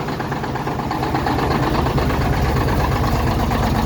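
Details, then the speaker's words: 1987 Mack dump truck diesel on a nasty cold morning, cold start with hard starting: deep uneven chugging at slow idle, irregular lumpy firing and heavy smoke; rough cold idle, cause not pinned down. "so there we go she's a chugging this morning"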